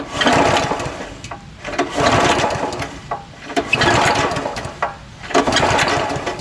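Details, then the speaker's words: Honda GX340 11HP pressure washer engine, just unseized and water drained from it, recoil pulled by hand: repeated rasping rope pulls every two seconds, each with a compression bump; turns over freely, easy to pull with some compression, possibly a compression release. "yeah it feels like it has a little compression but there might be a compression release for 11 horsepower pretty easy to pull but you could feel the compression you can hear it too"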